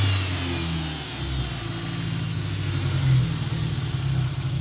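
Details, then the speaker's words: 2003 Dodge Neon 2.0 with SRT exhaust, rough after a broken timing belt, new belt and rebuilt head: lumpy, uneven beat that evens slightly on a rev but stays rough. No codes, 190 psi on all four cylinders, new plugs, no vacuum leak. Misfire. "Seems to smoothen out when you give it some gas, but it's still running rough. No check engine light, no codes whatsoever."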